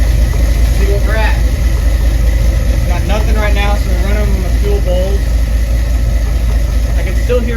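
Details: 1975 Ford F-100 V8 (about 50 years old) at a steady, even low idle, no stumbles or misses, after cranking with no fuel pressure showing on the gauge; normal idle.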